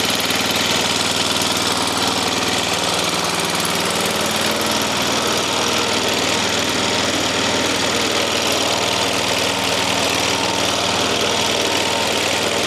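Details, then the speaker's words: Small flathead single-cylinder engine in a swap, head refitted after flooding, kill wire removed: fast, slightly uneven running with occasional faint stumble; runs not too badly, owner expects carburettor needs going through. "Well, it runs and I turned that fuel back off cuz I'm going to have to go through the carbbitrator. All right. So, that's what I wanted to know. if it's going to run. And it ran and it didn't really run too bad."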